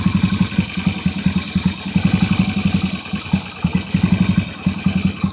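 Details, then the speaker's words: Yamaha Virago 250 twin with new ignition box, cold weather, idle set very low: slow, lumpy but steady twin-cylinder putter with no knocks or misfires; starts easily and idles healthily. "อันนี้ตั้งรอบไว้เบามากนะครับเดินเท่ๆเลยนะครับ"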